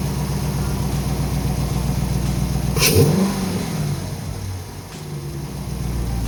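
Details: 2019 Dodge Charger RT 5.7 Hemi V8 with newly installed JLT cold air intake; smooth idle, one sharp rev with loud vacuum-like sucking intake rush, back to even idle; normal revving with cold air intake.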